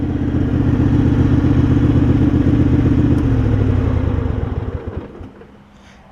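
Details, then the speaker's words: Craftsman garden tractor, about 30 years old, with Kohler CV20 twin, after ignition switch, carburetor clean and primary deck belt: strong, even twin-cylinder beat at steady speed, no misses or knocks, then winds down cleanly and stops; runs so good, normal running. "this thing just run that thing runs so good it turned out really really nice"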